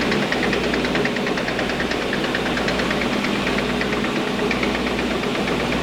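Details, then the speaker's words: Diehl SL-52 straight line rip saw, 15 hp main motor, 2 hp feed, chain feed set at 165 ft/min: steady even roar with fine regular feed-chain ticking, no knocks or surges; running normally. "We're gonna go ahead and start it up. Right now it is set up to run 165 feet per minute."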